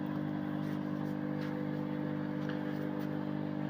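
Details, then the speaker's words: Mirta MW-2501W microwave oven, timer set to 3 minutes: steady low mains hum with even overtones, light on but not heating; hum rules out door microswitches and timer, transformer humming, magnetron switching on; hum without heating. "А якщо вона гуде, отже, зразу відкидаємо, що несправні мікрики ось ці, що тута стоять."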